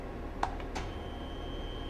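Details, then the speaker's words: Bridgeport vertical 3-axis CNC milling machine after the axis drive key is pressed before homing: a couple of sharp clicks, then a faint, steady high whine settles in as the axis motors energise normally. "I don't know if you can hear that or not but the motorist is kicked on to hear that whining noise"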